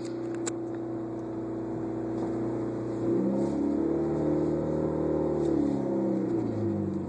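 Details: 1991 Honda CRX driving after a suspension rebuild: engine note climbs smoothly as the car pulls away, no squeaks or creaks from the suspension; one noise heard was the exhaust, not the suspension.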